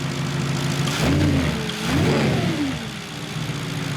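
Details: Deep, loud blare that swells with each throttle blip and drops back to a rumbling idle; the rear silencers are missing, making the exhaust loud.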